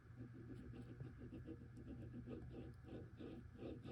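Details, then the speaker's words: 2020 NordicTrack 1750 Commercial treadmill, model NTL14129.9, about four years old, front roller removed and spun by hand: low hum with a rough gritty rumble from one end's bearing, suspected cause of the loud droning; fix is bearing replacement. "you can hear it's making some noise here so I'm hoping that that is the problem"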